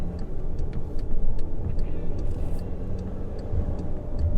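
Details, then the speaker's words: 2013 VW Tiguan 2.0 TSI automatic at highway speed after fitting wastegate actuator rod rattle clip 06J145220A (low boost P0299): steady road and engine rumble, no metallic rattle, light regular clicking; rattle largely gone, possibly not fully fixed. "yeah i don't i don't think i hear it that's great that's awesome so it's definitely better definitely better"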